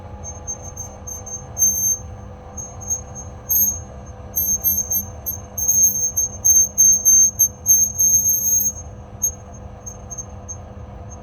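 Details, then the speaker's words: Woodway treadmill squeaking as incline goes down to 0, machine not running with a person standing on it: high, chirpy squeak bursts over a low electric hum, from an incline pillar block needing greasing or replacement. "This is the Woodway Barry's treadmill that's got a squeaky incline when it's on decline."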